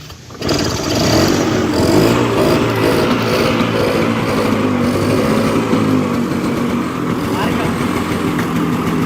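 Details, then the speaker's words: 1996 Bajaj Classic two-stroke scooter cold-started after 4 years unused, air filter removed and intake partly covered by hand: catches after brief crank, then ragged uneven hunting idle with heavy smoke. "കാർബറേറ്ററിലേക്കുള്ള air intake air filter മാറ്റിയിട്ട് നമ്മൾ അവിടെ കൈ കൊണ്ടൊന്ന് അടച്ചു പിടിച്ചൊരു നിയന്ത്രണം കൊടുത്തുകൊണ്ട് air intake കൊടുത്തു കഴിയുമ്പോൾ ഒടുവിൽ വണ്ടി സ്റ്റാർട്ടായിരിക്കുകയാണ്."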